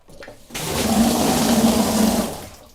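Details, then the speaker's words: A.O. Smith water heater, supply line disconnected and running into a bucket: strong steady rush holding full force, showing plenty of supply water flow and pressure; the problem is suspected at a black piece about 6 inches down. "Yeah, so you know, if you've seen that, that is plenty of water flow and plenty of water pressure for what we got going on here."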